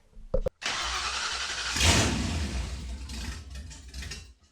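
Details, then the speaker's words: 1966 Mustang with a 4.6L mod motor swap on its first start, with no exhaust fitted (straight downpipes dumping before the transmission crossmember), fires almost at once, flares loudly, then sags and hunts; the idle needs adjustment. "oh it works it fired so quickly oh all right i need to adjust the idle a little bit i knew that was going to have an issue"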